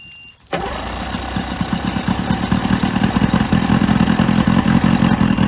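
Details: 1995 Spectrum 16 Dominator outboard, sat 22 years, on muffs with spark checked and fresh fuel: fires abruptly and settles into a fast, steady two-stroke burble with no stumbling; runs normally.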